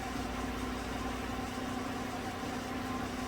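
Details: 2016 Chevrolet Silverado Z71 4x4 5.3 V8, about 135,000 km, warming up after replacing all right-bank lifters for a collapsed #6 exhaust lifter (tick, #6 misfire); smooth, even idle with steady low hum and no ticking or knocking; runs normally.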